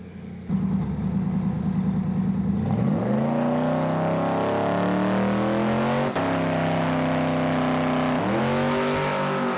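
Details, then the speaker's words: Boosted, Haltech-tuned drag car on a hard launch and full-throttle pass at about 170 mph: revs climb through the gears with a ragged, uneven exhaust note. The engine is running on seven cylinders, misfiring. "It's on 7 cylinders again. It was on 7 cylinders going down the track."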